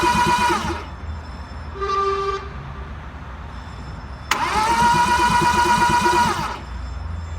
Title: Car won't start